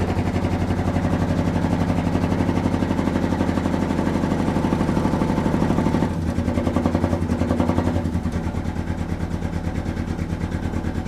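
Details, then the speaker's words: 1971 Dodge Sweptline big-block V8 first start after carburetor float set, following fuel hydrolock of rear cylinders, idling: lumpy stumbling beat, missing badly; firing order checked fine, plugs likely fouled from flooding. "She's missing something fierce. All right, what's going on here?"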